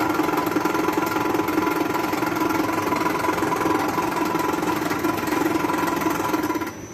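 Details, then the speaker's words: Old ceiling-hung air-conditioner indoor unit before repair: a steady droning hum with a rough, uneven beat near 160 a minute, from a sagging assembly that knocks the fan motor out of line, later fixed. "เราชุดนี้มันตกนิดนึงนะครับก็เลยทำให้มอเตอร์มันเบี่ยงนะฮะ"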